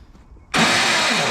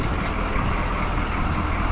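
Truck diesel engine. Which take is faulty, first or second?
first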